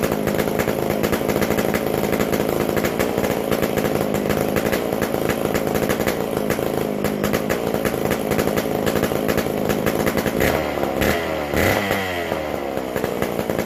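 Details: McCulloch Super Pro 125C chainsaw; loud raspy steady high rev, crisp and even, runs well, noisy because the muffler-to-exhaust gasket is still missing.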